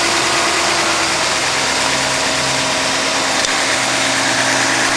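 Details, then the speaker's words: 1991 Mercedes-Benz 420 SEL V8 after a heat-soak breakdown (won't start, no spark) was traced through the ignition coil and distributor; with the distributor cap refitted and firing order verified, it now idles steadily and evenly with no misses, running much better. "Sounds like it's running a lot better."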